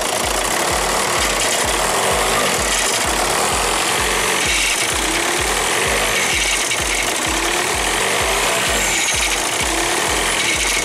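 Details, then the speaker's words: 2006 VW Jetta MK5 TDI with DSG, diesel idling: steady low rattling knock about three a second that disappears with a little gas and returns off throttle; failing dual mass flywheel. "Now, it's a little bit loud. You know, you can hear, but uh you can hear it right now. Okay. If you if you give it a little bit of gas, it will disappear. And once you let off the gas, it comes back."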